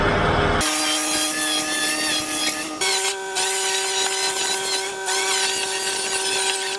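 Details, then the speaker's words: Winch pulling the body off a failed-engine 2016 Land Rover Discovery 4 SDV6: loud motor whine rising in pitch with a gritty, crunchy rasp as the steel rope bunches to one side and rubs the housing. A synthetic rope is planned. "that sounds crunchy. We're gonna have to order a synthetic rope because the steel rope, when it bulks up on one side, it's too thick and it's rubbing on the housing."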